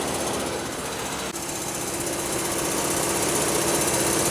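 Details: 2003 Pontiac Grand Am GT, running very hot after the belt was loosened, with water pump play suspected and coolant drips seen. A fast, fairly regular clatter of about four beats a second over the running engine. Accessory drive rattle, cause not confirmed.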